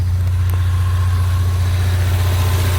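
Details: 2016 EcoBoost four-cylinder with new spark plugs and coil packs, idling with the hood open. A shop said the motor was bad; the owner disagrees. Deep, steady idle with an even low pulse and no knocks, ticks or misses.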